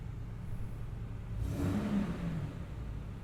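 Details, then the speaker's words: 2003 Toyota Tundra, one owner, 102K miles, started cold with the air conditioning on: a quiet, smooth low hum and one gentle rev that rises and settles evenly, with no knocks or ticks. Normal cold start and rev. "It's cold. I'm not going to rev it too much. Just beautiful."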